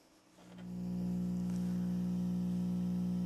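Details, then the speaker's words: Home audio setup, mixer to Yamaha DBR10 powered speaker via RCA output cable: constant low buzzing hum that holds steady, louder than before; ground-loop noise from the mixer, later addressed with a direct box. "o ruído até aumentou é o um ruído constante que vem da mesa para cá né"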